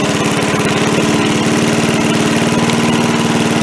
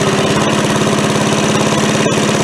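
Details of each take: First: MTD push mower after carb cleaning, carb refitted: holds a low, even idle and never climbs when the throttle is moved, though the linkage moves; the throttle spring was misrouted. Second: MTD push mower after carb cleaning, oil not yet changed: even, quick single-cylinder putter at idle with no misses or surging; runs much better with far less smoke, though it still won't throttle up.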